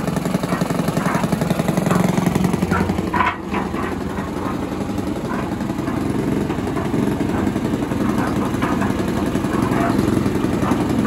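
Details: Villiers 10 petrol engine on an old Barford cement mixer, no choke, single-cylinder chugging at a steady, fairly even three to four firings a second; compression not excellent, fuel seems to run through with tap off; normal running.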